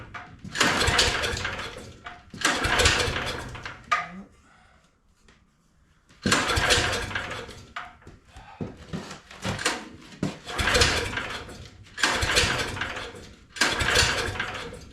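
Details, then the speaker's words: Engine swapped into a John Deere AMT600, flooded the day before, owner thinks from hooking the fuel line to the breather assembly; choke and fuel on, fuel reaching the filter: repeated rope pulls, brief churning, no firing; won't start. "Yesterday, I tried to start this thing and it flooded out. I think it's cuz I hooked up the fuel line to the breather assembly and it just flooded it."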